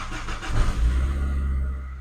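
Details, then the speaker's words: Car start test with two relay power contacts jumpered, bypassing the alarm immobilizer (blocking) relay, on a boosted weak battery; starter turns briefly, engine catches within a second and settles to steady low idle; normal start. "Көлігіміз оталды."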